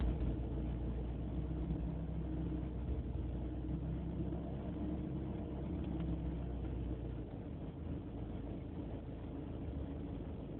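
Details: BMW E36 318ti: low, uneven idle with a wavering pulse and slight dips; replacing the idle control valve helped only slightly, cause unknown; rough idle.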